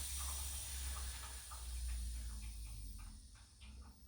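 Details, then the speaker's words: Viessmann heating in winter, gurgling radiator not getting warm, opened bleed valve: thin steady hiss of air with no water over a low rumble; system pressure suspected too low and water missing. "dann das ergebnis aussehen wie hier das heißt es entweicht sondern auch ein wenig luft aber es kommt kein keine flüssigkeit dann besteht die vermutung dass der druck in dem system zu gering ist und vor allem dass auch wasser fehlt"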